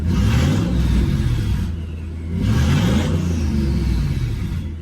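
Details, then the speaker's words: Ford Focus project car with twin-turbo V8 swap, warmed up, idle set around 800 rpm, first start with Focus ST clocks; deep V8 rumble rising and falling on two throttle blips, soft whoosh of turbos spooling on each rev, spool described as a little slow. "turbos! It's a little slow."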